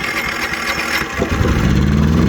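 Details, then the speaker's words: EcoFlow Smart Generator 1.6 kW dual-fuel running on gas from a bottle, cold start via electric start: starter churns briefly, catches about a second in, settles into steady even idle, no smoke, little smell; normal cold start. "it runs no smoke so 0.0 out and it stinks also not as strong as you have"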